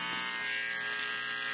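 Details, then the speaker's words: Homemade Bluetooth speaker with TDA2005 amplifier; constant even electrical buzz from the speaker when switched on, owner suspects a ground loop. "now one of the issues I have been having with this I believe it's because of a ground loop is this noise when I turn on the speaker"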